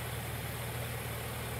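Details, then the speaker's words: 1999 Ford Windstar 3.8L V6 after repositioning the slipped harmonic balancer weight, which had spun on its deteriorated rubber sleeve: steady, even idle with no shaking; idle slightly off from a check engine fault. "but you can look and see how much smoother the engine is moving. It's not shaking anymore."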